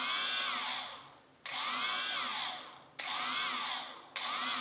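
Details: CX-20 drone, one stock motor makes a strange noise when stopping: bursts about 1.5 seconds apart, each a high whine sliding down in pitch with a rasp as the small motor winds down; abnormal noise on spin-down.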